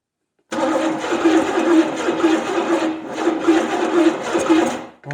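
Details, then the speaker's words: 1970 Buick Skylark 350 V8 with points, being primed with fuel at the carb: the starter cranks in an even chug of about two beats a second for four seconds but never catches; owner suspects timing is too advanced. "it sounds like we're too advanced let's give it some more fuel"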